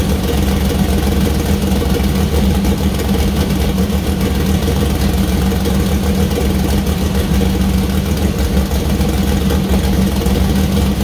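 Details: First start-up of freshly built 2000+hp LS (Dart LS Next block, 4in stroke, 4.140 bore, Brodix BR3 heads, .750 solid roller cam): deep steady idle, even firing, clean throttle blips, no knocks, ticks or misses; fresh engine runs healthy.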